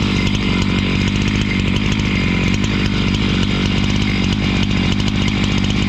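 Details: Husqvarna 268 two-stroke chainsaw, which stalled once warm and would not restart, cutting after air intake check: a loud, steady snarl holding revs evenly, no stalling or surging. Normal running under load.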